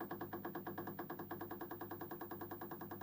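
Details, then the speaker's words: 1960s Lotus 19-inch valve TV model 6513, line oscillator suspected; on low supply voltage a steady low buzz chugs about three times a second like a slow single-piston pump as it starts up slowly. "Needs a bit more supply voltage to get things working. Oh, that actually sounds kind of amusing when that starts up slowly."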